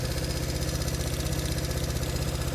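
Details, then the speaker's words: Lumpy, uneven idle from a 1970 Honda CB350 twin revived after sitting for years; one cylinder sounds weaker; it is firing, so a fault in that carburetor is suspected. "so it's it's firing it's just not it's in this carburetor somewhere see if we can find it"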